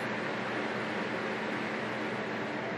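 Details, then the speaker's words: 1999–2002 Chevy Silverado/GMC NBS truck after electric fan swap to 9-blade dual electric fans, fans commanded on individually via scan tool: smooth even rushing air with no ticks, rubbing or wobble; electric cooling fans running normally. "fan one on you hear that I don't know if you guys can hear that but I can hear it and turn it off fan two on oh I guarantee you can hear that"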